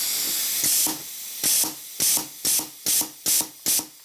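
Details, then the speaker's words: Pneumatic copper-cutting stomper on 6 mm air hose, hose not fully hooked up: sharp hissing bursts, about seven in four seconds, over a steady hiss as air vents from an unblocked hose port; compressed air leak. "that one I about to block off because otherwise the air is constantly coming out of there"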